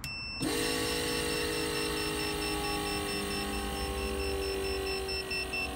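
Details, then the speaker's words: 1975 Volvo 164 EV conversion (NetGain HyPer9 motor), firewall-mounted rotary electric brake vacuum pump on 12 V test, hose to tank: switches on to a quiet, even hum without rattle; should shut off at sufficient vacuum; normal. "it's very quiet pump it should turn off automatically once it gets to a low enough vacuum"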